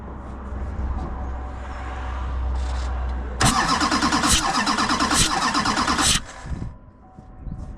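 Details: 2007 Chevrolet Duramax diesel that blew white smoke and died, fuel issue being diagnosed: starter churns about three beats a second for three seconds but never catches; crank no-start, one cylinder with fuel-soaked glow plug suspected.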